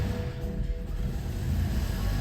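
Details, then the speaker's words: 2012 BMW 3 Series with Valvetronic, first start after valve cover replacement and a no-start repair: engine catches and runs lumpy and uneven for a few seconds from air in the fuel lines after the fuel was disconnected; timing seems on. "All right, there's some air in the lines with the fuel being disconnected."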